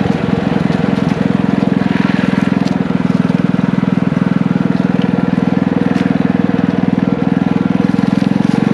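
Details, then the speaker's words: Single-cylinder engine from an old power washer, with a muffler and a 6.5 HP torque converter clutch, powering a trike on a ride: quick, even beat of about 3.5 pulses a second holding steady while pulling; normal running under load. "we just got back from taking this thing for a ride and it actually rips around pretty good it picks up surprisingly well especially with that torque converter it's working perfectly"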